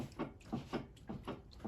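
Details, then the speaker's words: 2003 Mazda Protege5 2.0 ES, stationary, body rocked by hand at the open door: dull clunks from the front end, one per rock, about three a second; likely a worn, loose sway bar end link. "If you have that noise while you're driving, it's more than likely your sway bar end link."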